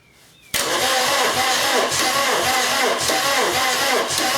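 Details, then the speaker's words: VW camper with swapped-in TDI engine, first crank after fitting dual mass flywheel: starter turns engine too slowly, about one labored compression beat per second, never fires; no oil pressure yet, owner thinks oil pump needs priming. "right one that is just cranking too slow at pompey's firing or something like that"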